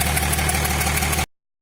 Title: engine knocking. injector 6th replacement did not help